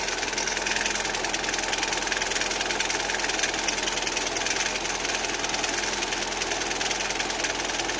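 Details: Lada Kalina 2 engine at cold idle: a light, fairly regular tapping of about two or three a second over a hissy engine note. A cold-engine knock.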